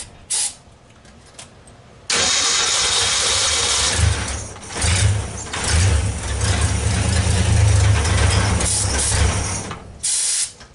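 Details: 1964 Ford Econoline van with a 170ci six and points ignition, previously crank-no-start. With the coil resistor bypassed and 12 volts fed straight to the coil, it cranks, catches at once and runs, revving up and down without stumbling.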